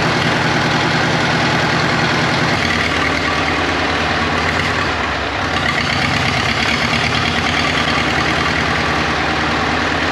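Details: 1939 Caterpillar D4 (RD4 4G9986) diesel, first start after rebuild, pony-motor started, near a mile altitude: rough, uneven chug with skipped firing pulses at steady speed; engine has a miss, fuel leaks still to fix.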